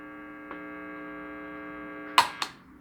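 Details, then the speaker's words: Guitar amp on an ungrounded two-prong outlet: steady low mains hum, not from the pedals. A noise suppressor removes it, and the hum returns on a quick test without it. "Y ya no tenemos ese zumbido. Hacemos la prueba rápida. Ahí está el zumbido."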